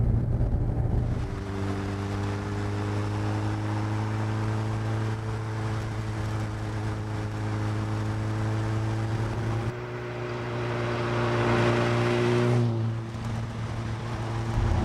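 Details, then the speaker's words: Megabusa car with a Suzuki Hayabusa bike engine and a sequential gearbox, driven on the road in winter. The engine howl holds its pitch, then a sharp clunk on each upshift as revs drop and climb again, with road grit audible. Normal sequential-box clunk. "But you can hear that howl from the engine, and that clunk is a sequential gearbox. Standard Suzuki job, but as you sneak through the gears, you just hear that clunk because of the transmission."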